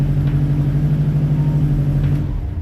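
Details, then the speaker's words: Subaru WRX STI after starter replacement: engine starts and idles steadily with no grinding; the old starter always ground on first crank and sometimes spun freely due to worn notches. "We hear nothing. We didn't hear nothing on the first try and it would always grind on the first one."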